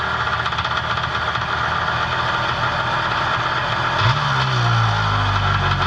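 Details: Personal watercraft two-stroke with Mikuni carb, single carb, out of the water without load: rough, fast idle settles, then pitch climbs and holds higher as the low-speed mixture screw is turned in.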